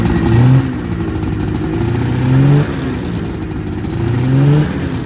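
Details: 1979 Yamaha SRX snowmobile two-stroke after fuel and cooling system work and fuel pump issues, first run with cooling system hooked up: revs up and drops back every couple of seconds, crisp and even, no knocking; healthy revving.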